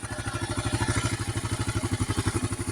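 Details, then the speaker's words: 2008 Kawasaki KLR 650 with 19k miles, idling in warm-up with idle set lower than usual: even thumping idle with a light metallic clatter on each beat. Owner suspects a loose top end; balancer already adjusted, owner doesn't think it's that. "I set the idle a little lower. I actually usually have this up a little higher. Right there. And that's kind of the warm-up area, but you can hear it."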